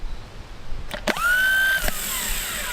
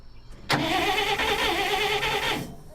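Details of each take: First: 1959 Dodge D-300 truck, rebuilt starter bench-tested on jumper cables: spins up to a steady whine and keeps running instead of kicking out; solenoid internals bad, replaced with parts from the old starter. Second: 1959 Dodge D-300 truck after starter replacement: crisp starter whir kicks in sharply, spins evenly about two seconds and drops cleanly away; starter engaging and releasing properly.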